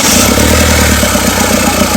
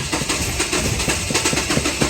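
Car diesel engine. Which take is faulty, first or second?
second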